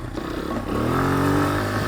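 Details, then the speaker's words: Honda XR100 carbureted single revived after sitting over five years, carb tuned and idle lowered: pulls up smoothly, even clean note, no misses, pops or knocks; normal healthy running. "yeah that sounds really healthy to me"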